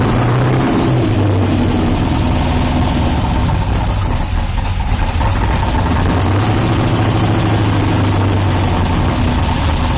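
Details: 1972 Nova drag build, trans brake applied in gear during transmission test after fluid drain (earlier 2-3 shift locked rear wheels); steady even low rumble, same speed throughout, no clunks or slipping flare; trans brake holds, normal idle in gear.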